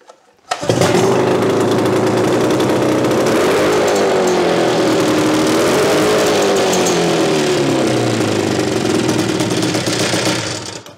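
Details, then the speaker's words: 1975 Mercury 20 hp two-stroke outboard after carburetor rebuild, running at a steady fast idle without dying. The light rattle is because the motor is not bolted down, and it quiets when held. "that sounds a little rattly noisy because i don't have this bolted down when i put my hand on it she got real quiet"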